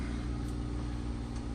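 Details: 2014 Ram ProMaster 2500 idling after fuel pump replacement: low, steady idle rumble with no misses, knocks or hunting; smooth and healthy.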